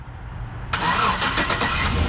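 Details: Van that would not start on a jumper box, started after holding clamps of a new battery on; quiet, then a brisk short crank, engine catches at once and settles into a steady even run; starts cleanly.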